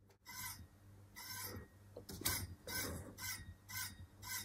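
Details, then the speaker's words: Uppababy Ridge stroller, new out of the box: rhythmic bright rasping scrape about twice a second as the too-tight dynamic handbrake leaves the brake calipers touching the disc; fixed by adjusting brake cable tension. "could be worse could be less and what this means is that the brakes are too tight essentially on the dynamic handbrake so the calipers are touching the brake disc"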